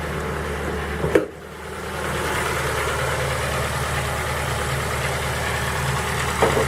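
Cold idle with a steady light knocking riding over the engine note and a couple of louder clacks; origin unclear from sound alone.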